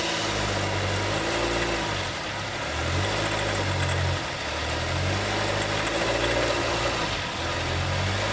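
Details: Honda City EXL 2020, bought new, about 19,000 km, noise began early and grew worse, dealer couldn't locate it and denies warranty: idle with wavering drone and faint intermittent rising-falling whirring; cause unknown.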